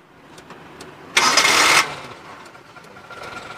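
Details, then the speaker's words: 1996 Suzuki Carry Carreta 1.0 (Adiputro body) used-car check: short crank catches quickly, then quiet, smooth even idle; revving also clean with no metallic noises, fan belt not squealing; oil old and black but no leaks at valve cover gasket; healthy start and idle. "Nah ini suaranya kalau udah di starter, suara langsamnya masih halus. Kalau kita geber juga suaranya masih aman, nggak ada suara ciri-ciri metal."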